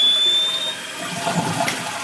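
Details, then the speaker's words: Toilet fill valve (the "tree") during flush: rushing water with a thin high steady whistle, singing every flush; fill-valve gasket not yet replaced, suspected cause, possible fix a new gasket or whole fill valve. "Yeah, it's still gonna make the noise. You hear it? It's just gonna get worse and worse. And if we can locate that gasket, it could be as simple as just replacing that gasket."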